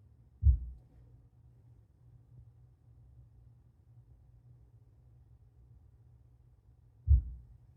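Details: Deep, dull low-frequency thumps through the subwoofer during boot of a new MSI MEG X670E Ace motherboard, six times per boot, with existing speakers that had no issues on previous motherboards.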